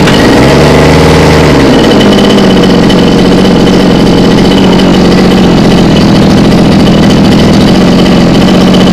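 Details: Mini water-pump engine, two-stroke on premixed petrol, after servicing a hard-start and runaway-throttle fault blamed on fuel starvation. Catches, revs briefly, then settles into a steady, even idle with no hunting or misfire; runs healthy.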